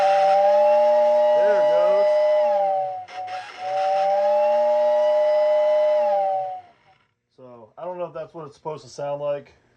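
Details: Old American Flyer #568 steam whistle unit powered from the transformer. Two steady, reedy tones sound together, sag briefly, return and cut off: the whistle works, though faintly.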